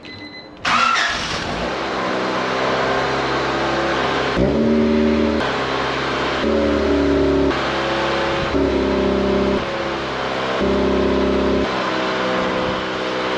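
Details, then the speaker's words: 1988 Honda CRX Si after re-hanging and bolting down the exhaust: engine catches and holds idle with a few gentle revs; exhaust barely audible in windy conditions, most sound from the engine bay. "It's windy, but you can hardly hear anything. All the noise is coming from the front."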